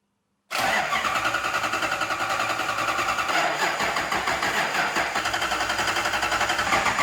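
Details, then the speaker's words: Lexus IS200 with a swapped 1UZ V8 on ECU Master, 16 degrees timing, fuel pressure 58 falling to 40: steady even cranking about seven seconds, never fires. Crank, no start; owner suspects the new coils are slightly short and not reaching the plugs. "Ça vaut pas, hein. Putain, on n'est pas loin, sa mère."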